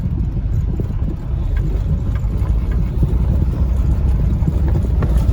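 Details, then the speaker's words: Junkyard automatic on a test drive: even low engine and road rumble while pulling away; the transmission changes into second with no clunk, slip or flare, and the automatic feels good. Normal automatic upshift. "udah gigi dua, mantap. Oke, sudah enak kok test drive-nya ya, sudah mantap."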